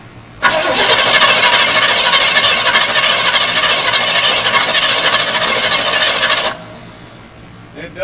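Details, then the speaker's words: 1975 GMC Gentleman Jim C10 truck sat 18 years, cranked via starter button before fuel added: steady even cranking about 200 beats a minute for six seconds, never catching; engine spins freely and healthy. "crank and it seems to be extremely happy doing it"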